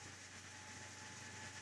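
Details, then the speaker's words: AMD FX-8350 stock CPU cooler fan under load, CPU near 68–69°C: a steady airy roar with a fixed low hum and a faint whistle, no rattle or ticking; awfully loud. "I believe you can hear the noise that this fan makes. It's just awful. It's the worst thing that can happen to you when you're working and you're trying to concentrate on something, and it's like having a server right beside you."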